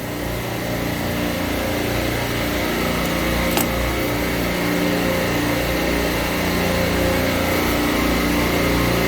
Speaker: so you can hear it washing by after we put on the solenoid so i am still going to replace this solenoid because it's not doing what it needs to do during hot gas defrost it should be holding this back